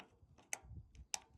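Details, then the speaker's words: GE top-load washer lid switch: two crisp sharp clicks about half a second apart as switch is pressed, showing it makes contact; failed switch caused no drain, spin or fill. "That's how it engages, and that's how you know that it's making contact."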